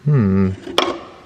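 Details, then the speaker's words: BMW M3 on lowered coilovers, front corner rocked by hand: a single dull solid clunk after a hum. The knock is traced to the strut, which the owner suspects just needs its top nut tightened. "i hope you can hear it i found it and it might be an easy fix it's the strut so maybe it just needs nipping down"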